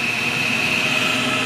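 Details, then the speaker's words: Dunkirk boiler rewired with an added relay to run the fan, thermostat calling for heat: burner lights, steady even fan rush with constant high whistle, no surging or stumbling; normal burner operation. "But if we need the burner to come on like it is, oh, there it goes, and just start it up."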